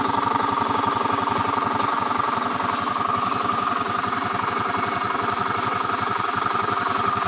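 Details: Honda Beat scooter at steady idle with a rough, rattly knocking from deep in the engine, not the CVT belt drive or fan; worn crankshaft bearing.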